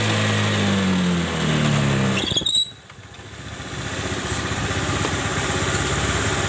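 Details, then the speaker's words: Honda Spacy CVT, under a year old, had rough noise from the rear on start and initial throttle; after grinding the bent/worn shaft smooth, idle and throttle rise with an even drone and no grinding. Normal CVT running after fix. "sudah hilang ya teman-teman suaranya ya kita coba gas"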